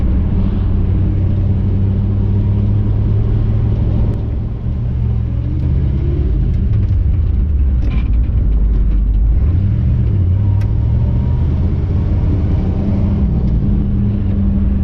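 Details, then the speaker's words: 1959 Chevy El Camino, off the road 29 years, cruising after the driveline carrier bearing was bolted up. Steady engine and road rumble, revs easing down and back up, with no grinding or whine; quiet driveline, the noise is gone. "All right, it's not making the noise. I think we solved the problem."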